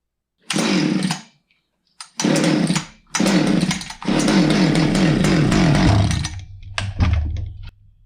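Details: Husqvarna 359 chainsaw, sat two years, after a carb kit and fresh fuel mix on the original plug: fires up and snarls through crisp revs with clean drops, settling to a steady idle; normal running.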